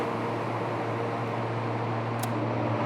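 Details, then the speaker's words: DCX DC120 dry cooler for an immersion mining rack, all three fans running fully, rejecting 120–140 kW: steady, even airy roar over a low constant hum with no rattles or surging; normal fan operation. "third fan just started. So we have the 3 fans operating fully, and that rejects 120 or 140 kilowatts of the heat from the system."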